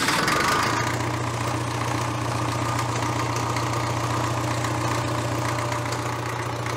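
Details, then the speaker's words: Caterpillar D330C four-cylinder diesel 90 kW generator from the 1970s, run after sitting over 10 years: after a brief rough start it settles into a steady, even clatter while warming up; normal running diesel. "let's fire it up again warm it up and give her some throttle let her chew on a little diesel for a while see what she does"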